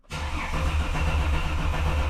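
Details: Holden VY skid car with a freshly swapped Ecotec engine, cranking without starting to build oil pressure and fill the oil filter before first start, crank angle sensor unplugged; steady, even starter churn with a regular low pulse, no grinding or catching. Normal cranking.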